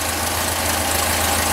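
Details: 1974 VW Super Beetle rebuilt air-cooled engine after swap, warm, wires rerouted off throttle cable; steady, even low idle rumble with no misses or stumbles, healthy.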